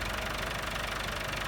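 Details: 1964 Massey Ferguson 65 diesel tractor just revived, driving with high-low selector in S: steady, even diesel clatter with firm beat, no misses or odd knocks; healthy.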